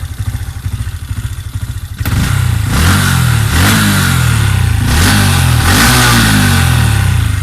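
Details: Honda Wave 125i, just tuned on an API 8.9 standalone ECU, 56mm piston, +3 stroke, very loud exhaust: a quick even idle putter climbs into a loud sustained rev with no cut-out or misfire. Free-revving normally after the tune.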